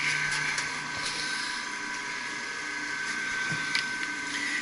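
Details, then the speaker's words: Pump motor on an HVAC service call runs with a steady high whine and rough hiss; the bearings are gone, and the pump is going back to the shop for bearing replacement. Finding: worn motor bearings. "yeah the bearings are gone I hear it everybody hears it"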